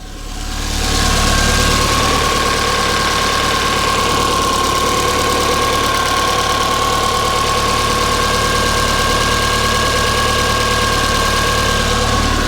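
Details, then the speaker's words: Mk1 Ford Fiesta after swap to a Zetec engine, coil wires corrected: smooth, steady idle with even mechanical hum and faint constant whine, no knock or misfire; much quieter than the previous engine. "That engine is so much quieter."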